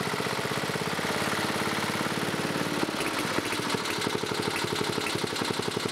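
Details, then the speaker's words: 1987 Briggs & Stratton 11HP single-cylinder with electronic ignition, old carburetor fitted: runs steadily at fast idle with a light regular knock each revolution; engine knock, owner suspects rod knock, also smokes, unconfirmed. "Well, guys, it runs. Seems like it's got a little bit of a rod knock, though. But other than that, it seems to be running pretty good."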